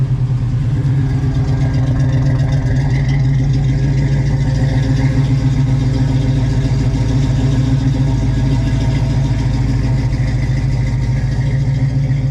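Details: 1967 Chevrolet Nova V8 with an Edelbrock 302 Z28 intake, MSD ignition with CD box, headers, Flowmasters and an aluminum radiator: a deep, lopey, even idle with a throaty burble and no knocks or misses. Healthy idle.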